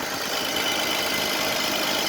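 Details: Mercedes-Benz W124 300CE-24, mic up close under the bonnet as it warms, slight oil seepage at a seal: smooth, even hiss-and-whirr idle, no knocks or misses; normal, healthy idle.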